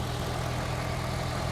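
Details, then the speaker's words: Auction-yard V8 with missing cover, engine bay sprayed with something making it look oily: steady low idle with an even beat and no stumble or tapping; judged not down on a cylinder and sounding healthy. "I think it sounds healthy."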